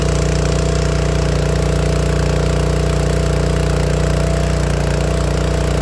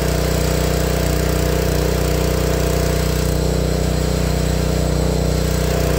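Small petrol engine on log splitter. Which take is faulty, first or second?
first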